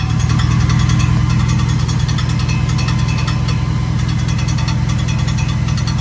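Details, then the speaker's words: 2009 Chevrolet Silverado 4.8 V8 at start-up/idle: light metallic tapping two or three times a second, seemingly from the bell housing, actually the starter drive falling forward and striking the flywheel; common on leveled or lifted trucks; fixed by replacing the starter. "so the clinging you're hearing you hear that what it is that falls forward so on a non-level or non- lifted truck this com this issue is not as common"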